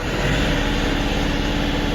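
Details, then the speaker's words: Kioti NX5510 tractor with a faulty crank/cam position sensor (code P0341) and check engine light on: a flat, steady high drone stuck at max 2200 rpm that won't climb higher. The engine is in a rev limit from the faulty sensor. "That's max RPM. Only doing 2200."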